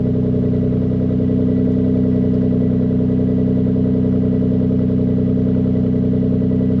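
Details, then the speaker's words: MK4 Toyota Supra 2JZ-GE after its split exhaust manifold was welded and refitted with the induction kit: a steady, deep note with an even pulse and no ticking or chuffing leaks, much better than the earlier blowing sound. The exhaust is now sealed. "well that definitely sounds better than what he did at the start of the video"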